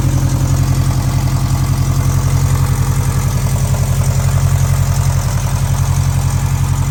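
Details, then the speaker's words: 2013 Scion FR-S after the owner rebuilt its blown engine: smooth, even idle after first start with steady low rumble, no knocks or ticks; sounds much better than before, healthy. "She's alive. And she sounds so much better than what she used to. It's working."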